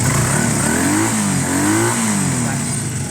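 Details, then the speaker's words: Honda CB250 bobber twin: revving with throttle blips, brief stumble when snapped quickly to half throttle, a flat spot there. "All right, so if you go fast to half throttle, look. A tiny stumble."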